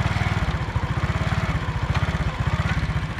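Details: Honda CD70 motorcycle single idles with a fast, sharp rattling tick riding each beat; opening the clutch side found a loose, worn clutch-side gear (girari) making the noise.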